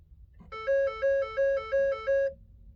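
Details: 2012 Ford F550 after an EZLynk firmware update: five even two-tone dings about a third of a second apart as the modules resume communicating about 3.5 minutes after key-on, showing trailer connected; before this the fuel pump doesn't run and cranking only clicks.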